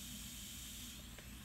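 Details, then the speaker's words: Diverter valve on a bench test at only 10 psi with the adjustment fully tight: a steady, airy, constant hiss of escaping air. The valve is leaking badly. "Only 10 psi of pressure, and we got a very bad leak. You can hear it leaking out through here."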